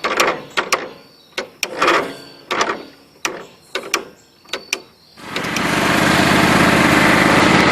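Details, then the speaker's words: John Deere LT133 lawn tractor: about eight short cranking bursts dying out before it catches around five seconds and runs steadily; owner suspects a gummed-up carburetor, unconfirmed. "After a while, I don't know if it's the carburetor or what, I guess they just get gummed up. These things get hard to start."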